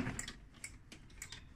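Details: Mountfield SP536ES mower during service: sharp light clicks, about five in under two seconds, crisp and even in a quiet room; safety micro switch operating normally.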